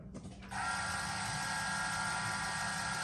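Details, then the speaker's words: 2017 Ram 2500 Cummins G56, 105,000 miles, newly installed AirDog lift pump with 1/2-inch fuel line, key cycled 2-3 times to prime and avoid airlock: even electric whine with light buzz for about three seconds: normal lift pump priming. "So make sure you cycle it 2 or 3 times and then go ahead and crank it up so you're not airlocking it or anything like that."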